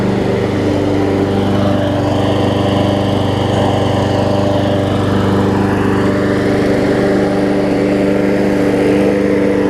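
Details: Briggs & Stratton Quantum push mower after saved, cleaned carburetor and resealed; old air filter still on. Running really good: steady, even single-cylinder drone with no misses or surging. Normal running.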